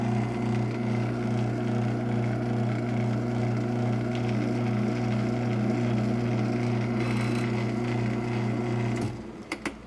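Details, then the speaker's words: Genie ProMax PMX500IC/B garage door opener with salvaged replacement capacitor and no rail fitted: steady loud motor hum with a coarse buzzing rattle until it stops; pushing on the drive helps, source of the noise unclear. "something's making a lot of noise if i push on this it helps"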